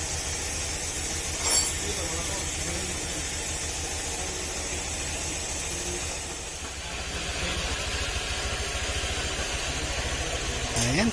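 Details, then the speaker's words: Honda Click 150i scooter after warranty crankshaft repair; even low pulsing idle, no more balancer knock, light creak heard is the drive belt turning: normal idle. "tahimik na ulit mga sir. Wala nang ano. Wala nang balancing, lagitik."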